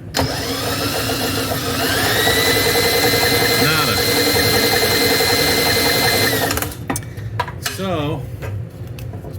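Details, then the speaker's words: 1998 Murray 20506x8a push mower spun fast checking for spark: steady fast whirring for about six seconds, no firing; likely no spark, owner suspects ignition coil is bad, marginal chance it only needs cleaning. "likely this coil is pooched there's a marginal chance it just needs cleaned up"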